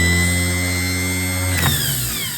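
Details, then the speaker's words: New replacement starter for a John Deere 301A tractor tested on the bench, solenoid good: strong steady high whir then smooth spin-down after release; normal starter operation, unlike the old starter with bad field coils that didn't work at all. "That's what it's supposed to do. I hope you saw that. So, it's supposed to that's supposed to come out and it starts spinning and that engages the ring gear and starts your engine to turn and then you got your spark and your engine fires."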